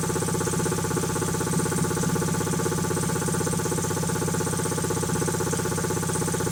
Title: Quincy QT5 QT-5 first run after rebuild